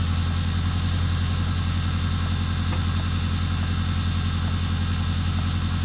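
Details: Detroit Diesel 8V92TA in a Wanderlodge RV idling at about 608–610 rpm, 13% engine load, 140–160 ft-lb, burning 1.7 gal/h: slow, heavy idle with a deep steady thrum and faint irregular knocks from worn, scored and cracked liners.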